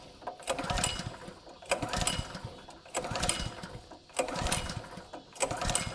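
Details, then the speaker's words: Honda GX200 on a marketplace 2-inch water pump, oil overfilled: five evenly spaced pull-cord rattles about a second apart, engine spins but never fires; seller thought spark plug, owner suspects carburettor; found clogged carb jet and stale fuel. "He said he thought it needed a spark plug. I'm figuring it's probably the carburetor."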